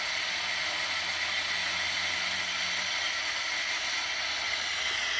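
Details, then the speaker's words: Unitra Eltra Alicja R-701 radio (black, Eltra Bydgoszcz) with wire antenna, FM (UKF) on second station preset: steady static hiss, no station at all received; no FM reception before signal-generator check at 65–73 MHz. "również cisza tak więc w chwili obecnej nie odbieramy Nawet żadnej stacji"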